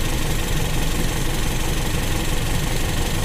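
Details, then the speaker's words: Carbureted Toyota Kijang, hot after a 6 km drive, while turning the idle air mixture screw out for highest smooth rpm: low, deep idle with slightly uneven rocking throb; mixture not yet set, still slightly unstable. "ada goyang tiap penambahan membuka itu teman-teman kita tunggu jangan langsung ya masih ada goyang dikit"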